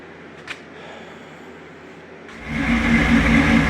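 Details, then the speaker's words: 1952 Willys MB3 jeep after replacing a snapped rear-axle pinion with a six-cylinder pinion, fresh 90-weight gear oil and oil change: engine catches and runs steady and even, no knocks or grinding; normal running. "okay she's all back together uh she's running running good yeah sounds like sounds like super bur like like she always has"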